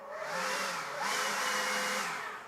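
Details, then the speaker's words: Battery Ryobi leaf blower on a fully charged battery holds a moderate fan whine and won't reach full speed when squeezed; faulty trigger switch. "if you just squeeze it down like you're supposed to be operating this thing it does not go into full um Power here"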